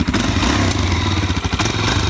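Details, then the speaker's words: Wrecked salvage 2019 Suzuki DR-Z400 supermoto, first start after purchase, cold and needing warm-up: a loud single-cylinder thump at a steady fast idle, slightly lumpy but even, with no odd knocks. Normal cold idle. "Let it warm up now. Oh yeah, definitely. You gotta let it warm up now. Definitely needs to warm up."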